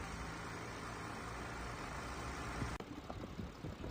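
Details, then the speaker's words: Audi A6 2.8 after cleaning and full synthetic oil service for slight oil burning, hard cold starts and high fuel use; cold engine, vacuum about -130. Very quiet, smooth, even hum, no knocks or misses; normal idle. "那么现在声音也很轻，刚刚车主自己去加油了，出去跑了一圈，他说油门啊特别的轻，轻轻一点就有，油耗也降下来了，对吧？"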